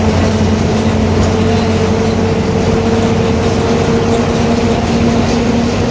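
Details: 2021 Marcopolo Torino S bus on Mercedes-Benz OF-1721 BlueTec 5 chassis, long wheelbase, urban service, cruising: constant droning mid-pitch hum over road and engine noise; the differential is roaring.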